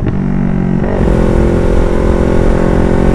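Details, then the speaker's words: Yamaha R3 with full-system exhaust after fitting an SRB resonator; previously backfired badly when throttling. Deep steady drone rising smoothly on throttle with no pops or bangs; backfire now gone, clean healthy exhaust. "laking improved mga amigo nahulat talaga yung kanyang backfire hindi yung kagaya nakaraan na grabe yung backfire niya"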